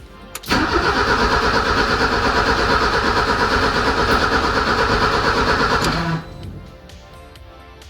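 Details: E30 with M10 engine, previously shut off after 5–6 minutes of idle and would only crank, now cranks evenly for about six seconds without firing; fuel delivery suspected, not confirmed.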